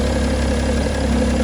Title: BMW M57 Timing Chain noise?? E92 325d #bmw #e92 #timingchain #m57